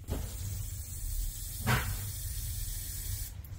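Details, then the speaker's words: Central heating pipes buried in screed and under a suspended floor, drained and pressurised with tracer gas; steady soft hiss heard under the floorboards from the leak that was making the boiler lose pressure. "can hear that hissing it's either a snake down there or it's the leak we're looking for"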